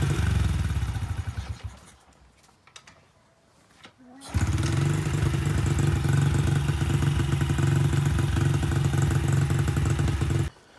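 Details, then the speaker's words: Honda CRF70F single-cylinder after installing a new stock carburetor, fuel filter and air filter; starts easily and settles to a steady, even idle; owner suspects an air leak since the pilot screw is almost fully in. "so it starts up real easy"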